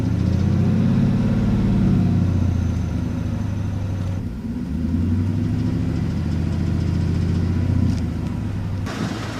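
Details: 2002 Ford Mustang GT V8 revs briefly, then settles to idle with a light, quick ticking over the exhaust note, about 220 per minute; owner suspects an exhaust manifold gasket, unconfirmed.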